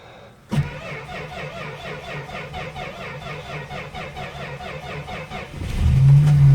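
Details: 53-year-old Plymouth Slant Six cold-started at about 12°F: catches and settles into a fast, uneven, lumpy idle. The aftermarket choke is sticking closed, so it runs rich.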